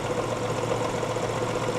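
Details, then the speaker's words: 2007 Lexus LS 460, presumably a 4.6 L V8, idling with the hood open: steady low hum with a lumpy pulse from a single-cylinder misfire. No other odd engine noises; probably needs a tune-up. Hood struts bad. "that's a single cylinder misfire I don't hear any funny noises coming from the engine or anything either"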